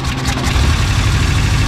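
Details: An old petrol engine idles low and uneven with a stumbling beat from a missing cylinder; it briefly quits firing, and a vacuum leak is found where a plug is supposed to be fitted.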